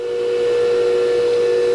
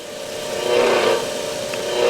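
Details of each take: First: New Hercules 8-inch 1 hp industrial bench grinder, first power-on after unboxing: a clean, steady mid-pitch hum with no rattle or grinding as it spins up; it runs smooth and quiet. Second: 8-inch variable-speed bench grinder (a second, older unit) runs fine on high at 3,600 rpm, but dialed down or on low speed gives a rough, wavering whir with rising and falling drone; still rotates but sounds horrible.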